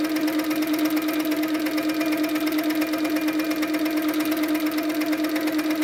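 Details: Handi Quilter Sweet Sixteen with pink top thread, after tightening the top tension about a half turn more. Steady hum with an even stitch beat around two per second and no knocks. No pink dots show on the back, so tension is perfect. Normal stitching.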